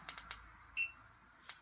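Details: Xiaomi 4 Lite 2nd gen e-scooter after replacing a rain-damaged controller: quiet room, button clicks and one short high beep as the mode changes; new controller responding normally.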